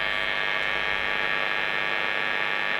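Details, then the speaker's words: Marshall 30W Lead JMP2201 valve guitar amp on the workbench: steady, harsh mains hum buzz, also scratchy pots; suspected pickup from the workshop fluorescent lights; amp to be moved to the floor away from them. "It's got a sort of bit of a nasty mains hum buzz."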